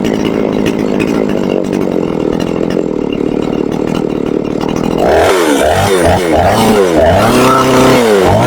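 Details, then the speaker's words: Chinese Procraft chainsaw with heavy white exhaust smoke; revs fine at first, then once warm, hunts up and down about three times a second, misfiring and stalling; owner finds it floods with fuel, cause unknown. "Я думав, майстри вже догадалися, в чому проблема, по характерному білому такому вихлопу і троліт дуже сильно. Спочатку ніби добре починаєш газувати, нагріється і починає троліти."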